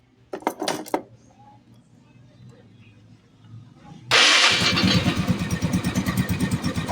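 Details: Yamaha Mio Sporty scooter after oil pump repair and reassembly, oil spraying strongly: quiet handling, then the engine fires at once and settles into an even, steady idle pulse with no tapping or rattle; sounds healthy.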